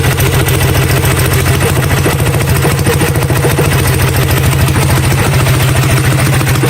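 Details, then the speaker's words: Coleman CT100U mini bike, Hemi Predator 212 single-cylinder, after fitting 18 lb valve springs and an oil change, first fire-up: steady, even thump at quick idle with no misses, knocks or rattles; sounds beefier than ever, healthy idle. "oh yeah she sounds beefy beefier than ever"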